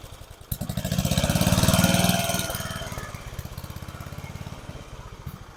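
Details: About 30-year-old family lawn mower, temporary fuel tank setup: firing beats climb in speed then sag and fade unevenly instead of holding steady, acts like it's short of fuel; carburetor suspected, not confirmed. Engine surging, running rough.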